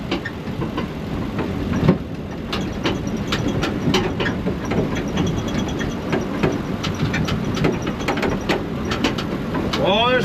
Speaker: the cab is making so much noise it's only tacked in four positions this was really just a test so all this noise you hear is the cab rattling and